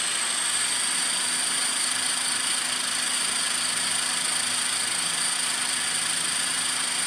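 High, buzzy whine from the rotors with a rough, uneven flutter under it at steady hover, suggesting a vibration somewhere in the head or drivetrain.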